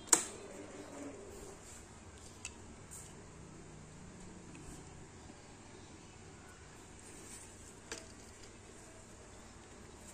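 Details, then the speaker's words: Yamaha Xride separate LED headlight cooling fan after cleaning, tested before closing up; runs almost silently with a faint even whir, no longer noisy as it was after years of use. "Nah, halus nih. Suara kipasnya jadi halus ya. Udah enggak kedengaran kayak tadi. Berisik."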